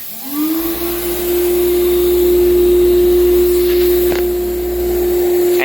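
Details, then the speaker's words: Sandblaster cabinet at MakeHaven: the motor spins up to a steady, even whine with a constant airy rush and no wavering or rattle. Extractor running normally before blasting. "i'm gonna push the foot pedal to make it go a little spurting in the beginning is okay"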